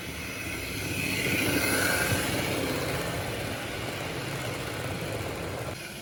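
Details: Serviced 1950s Olympic Express HO B&O GP7 diesel, formerly seized motor freed and oiled, wheels cleaned, pulling a train: steady even motor whir with light wheel clatter, no stutter; runs normally.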